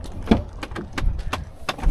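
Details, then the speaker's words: 2013 Ford F-150, 166,000 miles: sharp, even plastic clicking about three per second from the dash. Faulty AC blend door actuator, which controls side-to-side temperature. "Oh my god, I hate the sound of that. If you ever hear that in any car, that's the blend door actuators. That's what controls basically the temperature on different sides."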